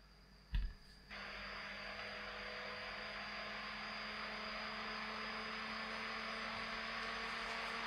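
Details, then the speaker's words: Xbox One S showing system error E105, running with the heatsink clamp off: a soft fan whoosh and faint whine building over several seconds as the fan races. Worn thermal paste and overheating are suspected. "while i'm googling it can you hear the fan speed really kicking up i think the thermal paste needs uh replacing i think i'm going to turn this off before it overheats"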